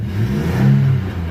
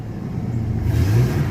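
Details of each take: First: Chevy 4.3L Vortec V6 in an S10 with 274,000 miles, low oil pressure, a worsening erratic misfire for six months and a replaced distributor: after adjustment it pulls evenly up through the revs under load with no stumble, running clean. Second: Chevy 4.3L Vortec in S10 truck, new distributor, erratic miss worsening over six months: revving up surges unevenly, stuttering and hesitating; timing set fully retarded, advancing it a little made it run clean.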